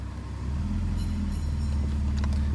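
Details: BMW E46 with M54 engine, after repair with a fixed torque converter: shifting through Park, Reverse, Neutral and Drive at idle gives an even low hum with no knocking or rattling; the foreign noise is gone.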